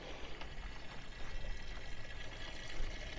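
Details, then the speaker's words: Fluid extractor pulling automatic transmission fluid through the dipstick tube, about 10 minutes in, canister pumped to keep pressure: uneven gurgling and sputtering suction with air mixing in; nearly empty, about to stop. "i think i think it's been about 10 minutes now kind of sounds like it's about to stop"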